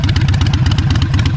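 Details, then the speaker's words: Harley-Davidson Iron 883 Sportster, jump-started after a dead battery and ridden up and down the street: loose, loping V-twin idle lifting and settling cleanly with throttle blips; strong and healthy, normal idle and revving. "She starts up, she runs, she's looking good, she feels great. Ran it up and down the street a couple times. She's feeling real strong, real nice."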